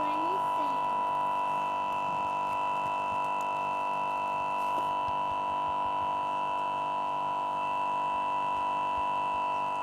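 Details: Newly bought Lenovo Yoga 2 11.6 laptop frozen and unresponsive: a constant loud electronic buzz that never changes. It has to be forced off with the power button.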